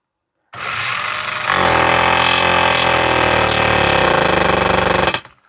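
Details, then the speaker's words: Small magnetic nail-driving hammer tool running against a nail into pine: fast harsh jackhammer-like rattle of rapid oscillating blows, steady, but barely drives the nail; normal percussive hammering. "So if we put it on top of the nail, it's pretty much just a noise producer. That doesn't appear to be going anywhere, but you can hear that it is very much like a jackhammer. Must have just a little oscillating thing going there."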